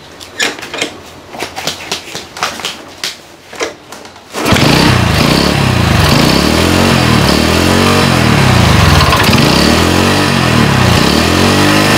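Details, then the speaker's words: Small motorcycle converted to LPG with a GX160/200 LPG carburetor and low-pressure regulator, revved high without the idle circuit: hard, uneven sputtering from a mis-set air-gas mixture; needs further setting. "suaranya brebet kita perlu setting lagi dia enggak stasioner karena ini kita lepas"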